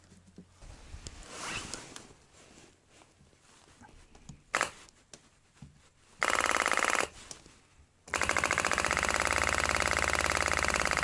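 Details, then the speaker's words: ZAZ-968 Zaporozhets autonomous heater fuel dosing pump tested after cleaning rusty contacts (previously not clicking); scattered clicks then steady rapid ticking, pumping well; normal fuel pump ticking. "отлично качает это масса была это плюс"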